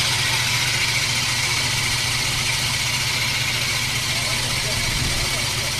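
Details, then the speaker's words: Mower reel being backlapped against the bed knife: steady gritty grinding hiss easing off as the lapping compound wears out, needing more compound and closer reel to bed knife contact; grind fading as compound wears. "you can hear how it's not grinding quite as heavy anymore we'll put a little more on it's like un coach seen it wore out the compound and that's doing the same thing on this one"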